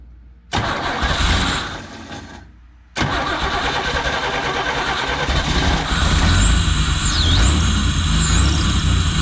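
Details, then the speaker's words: 1985 Pontiac Fiero, first start in 19 years, on starter fluid before fuel system repair: starter whirs briefly, then engine catches and runs rough for several seconds; fires on starter fluid, no fuel delivery, fuel pump later replaced; 60 psi oil pressure. "all right I can't believe that that worked out pretty well so I'm gonna try to figure out the fuel system that way we can get it run longer"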